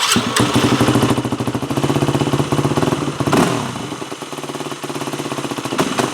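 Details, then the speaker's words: 4-stroke dirt bike carburetor during fuel screw tuning: revs stumble and sag when throttle opens, idle hangs before settling; still bogging, a lean pilot circuit. "So, when I was revving it up, it was still bogging."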